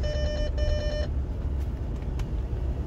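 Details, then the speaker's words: Ford F-150 with a weak, low-voltage battery, reversing toward an obstacle: two quick, soft warning beeps over low engine rumble, weaker and dimmer than normal, possibly because the truck is conserving power. Weak warning chime. "hear how the beep is a little weaker it's a little dimmer but the power is not all there"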